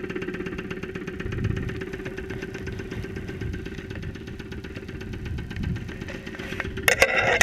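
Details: 2001 Saturn SL2 engine, unrun for two months after being run with very low oil, recorded via stethoscope microphone at idle with 35–40 psi oil pressure: sharp regular tapping about four times a second, a lower-end knock.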